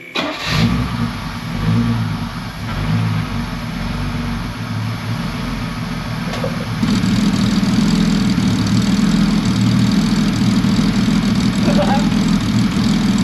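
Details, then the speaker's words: 1966 Mercedes 230SL (Eurospec) that sat off the road for 40 years, first start after revival, run only seconds with no coolant: catches quickly, steady idle, then smooth even revs with no misses or knocks, and oil pressure pegged near 3 bar; normal start and rev. "Okay, we can only run it for just a second without getting coolant to it. But listen to this. Is that not amazing?"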